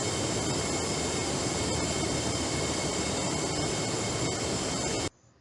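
A loud, steady rushing hiss holds evenly for about five seconds, then cuts off; the bypass valve is passing refrigerant and equalizing pressure.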